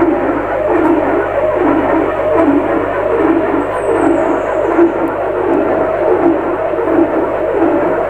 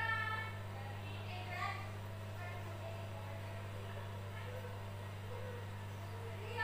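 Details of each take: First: Lux Royal WH 1093i washing machine: rhythmic rubbing swish about 82 times a minute with drum rotation; cracked, corroded spider (drum support) pulls drum forward to scrape door gasket, bearings fine; fixed by replacing inner drum, spider and shaft. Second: Lux Royal WH 1093i washing machine after replacing cracked inner drum spider (segitiga), drum and shaft, slow spin start: smooth even low hum, no drum-to-door-gasket rubbing or thumping from behind the drum as before repair.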